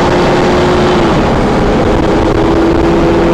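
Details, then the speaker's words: 1997 Safari Trek Pathmaker 2480 motorhome, 454 V8, four-speed automatic with overdrive, accelerating on highway past 40 mph: smooth rising even drone over road noise, no exhaust-leak ticking or puffing; earlier leak fixed, now normal. "As you can hear, the engine doesn't have any exhaust leak anymore. It did when we drove it from Charleston to Greenville, South Carolina. Now it's much quieter, normal V8 454."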